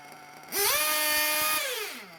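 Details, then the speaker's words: Nitro RC engine being tuned from rich: throttle blip gives a buzzy whine that holds about a second then sags; high-speed needle still rich, being leaned. "not quite revving up so i leaned that high-speed needle just there [Music] so you can hear the rpm is getting higher it's getting better"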